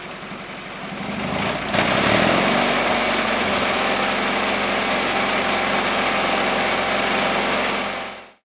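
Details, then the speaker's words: 1950s Caterpillar 955 Traxcavator pony motor, after an oil change and new spark plugs (previously needed ether): catches, then settles into a steady, even putter of about three or four beats a second; clean normal idle. "it even idles well i can't believe it idles well"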